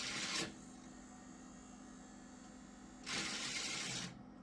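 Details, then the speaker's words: Gateway G6-400XL PC (400 MHz Pentium II, built about July 1998): a random CD in the DVD drive makes two harsh grinding bursts with a quiet spin between, then ejects. Drive possibly long unused; it worked after being exercised. "I'll just put a random CD in we do a directory C uh okay it made a grinding noise and ejected"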